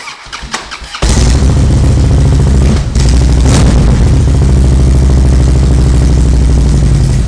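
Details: Starter cranks briefly then catches at once into a loud, steady, loping V-twin idle on a Harley Dyna after maintenance, with exhaust not fully bolted (two rear exhaust bolts missing); starts cleanly and runs fine.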